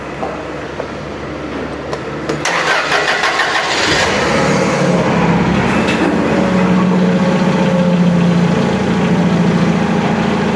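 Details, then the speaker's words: Toyota LPG forklift after reconnecting the solenoid valve harness and fixing the internally broken power wire: brief cranking, catches at about four seconds, then smooth steady idle; normal start after repair. "Pues bien, colegas, como podemos ver, ahí está el equipo ya funcionando. Efectivamente era la alimentación que no le llegaba a la electroválvula"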